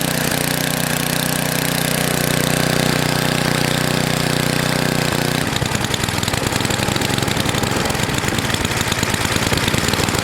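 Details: NOMA 8hp snowblower, cleaned carb refitted: runs steady then turns choppy and uneven, speed searching back and forth as governor hunts; bottom mixture screw fully in, carb needs tuning.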